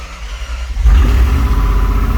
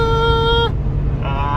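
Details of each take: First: 4.7L Jeep Grand Cherokee WJ first start after donor engine install, following repeated no-start attempts blamed on weak starter or missing ground: quick crank, catches and settles into a steady, even idle with no knocks or misfires. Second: 4.7L Jeep Grand Cherokee WJ after an engine replacement, at 75 mph on the freeway: a steady high-pitched whine over the road rumble; owner suspects the fuel pump is struggling on gummed-up fuel, unconfirmed.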